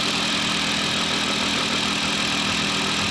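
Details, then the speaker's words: Newly installed engine at first idle after cam/crank relearn, cold and warming, belts off, no coolant but oil filled, a little smoke expected; smooth constant idle hum, no knocking, tapping or stumbling; normal. "But got a little smoke back there. That's to be expected. Just running."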